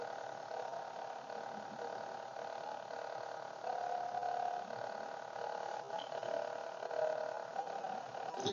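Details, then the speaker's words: CMD HD-20 Commodore hard drive at power-on, on 5 V and 12 V supply, not connected to a computer: thin wavering warbling hum rising and falling unevenly as the disc struggles to spin up; drive failing, cause not confirmed. "the disc drive is just not spinning it's warbling it has a little warbling sound so it is kind of spinning but it just sounds like it's on its last"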